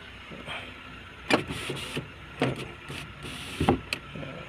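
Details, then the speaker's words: 2004 Honda Jazz GD, manual: power windows run up and down normally, short motor runs each ending in a firm thump as the glass seats. "คันนี้กระจกไฟฟ้านะครับขึ้นลงได้นะ"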